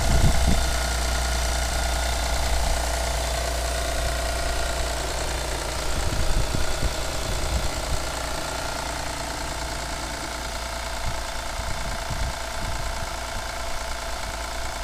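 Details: Honda Legend KB1 with J37 engine at cold idle: an uneven, light tapping of about three to four knocks a second over a steady engine hum. Engine knock, source not pinned down.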